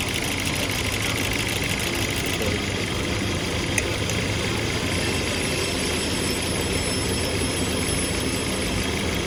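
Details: Hyundai Sonata 2013 idling rough and uneven with a stumbling beat through the engine note; idle misfire, cause not yet pinned down.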